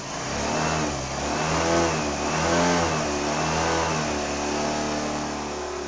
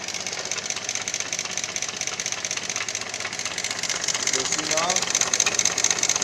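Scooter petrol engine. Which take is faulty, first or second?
second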